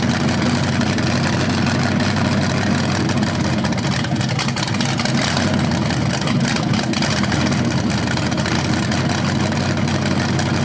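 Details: First run of a BluePrint 396 big-block crate engine outdoors for a 1970 Camaro SS, with headers, oil primed and timing checked: deep, steady, even idle throughout with no knocks or misses; sounded good, no leaks.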